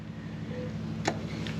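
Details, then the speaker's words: Work vehicle front 4WD hub selector after anti-seize and refitting: quiet background, then short sharp metallic clicks as the hub lock engages and releases; selector working normally after repair. "feel that. And you can hear it engaging and disengaging."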